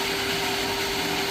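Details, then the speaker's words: Jetmatic-system water pump after repair, rubber seal replaced to stop a leak, noisy before, pressure slow to rise: steady, even whir with a constant mid-pitched tone and no grinding or rattle; pump now runs smoothly and quietly. "Okay. So yun guys ah. Okay na siya no? Pino na umandar. Tahimik siya ngayon."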